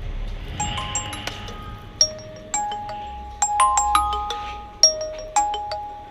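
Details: Nokia 1 after fitting a replacement ringer speaker: clean, bright chiming ringtone with no crackle, buzz or distortion; the new ringer works properly.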